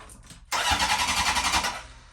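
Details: Honda CB750 after Dyna S electronic ignition install and static timing, choke held open, on starting fluid with no fuel hooked up: cranking, then a ragged burst of firing for about a second before fading; ignition sparking.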